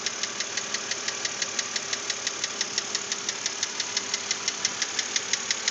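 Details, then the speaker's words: 2006 BMW Z4 3.0si at about 19,066 miles, idling: sharp, even metallic ticking knock about three times a second persisting after lifters were replaced; owner hopes a cylinder head replacement will cure it, cause unconfirmed. "this is before I take it into Bill Jacobs BMW to hopefully get the head replaced and have them get rid of this noise"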